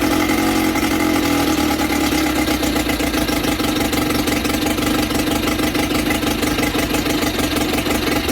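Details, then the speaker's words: Sea King 6 hp outboard VWB19074A after fuel system work, started on one pull after heavy priming. Loud buzzy two-stroke drone with a fluttering, uneven beat, smoking; owner suspects it is running too rich: rough running with smoke. ">> It feels a little weird, smoking for sure. Don't know why. It did start with one pull. That's a lot of pulling glass gas, so I guess that was too rich."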